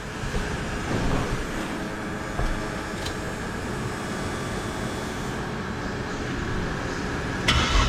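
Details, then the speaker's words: VL Commodore with a converted turbo Barra Greentop six (300,000 km), TH400, 9-inch diff, Haltech ECU, running E85. It starts and settles into a steady, deep bass idle with no misses or knocks. The idle was tuned on the hoist using a wideband: healthy. "So this has got a real bass tune in it. I literally sat on the hoist with it to get it to idle."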